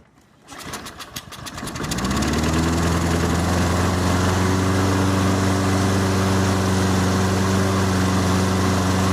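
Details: Toro Recycler 22-inch push mower, Briggs & Stratton 190cc, restarted after a 10–15 minute AMSOIL Power Foam carburetor soak: pull start, a few catches, then a steady, even single-cylinder drone; smoke burned off, runs healthy.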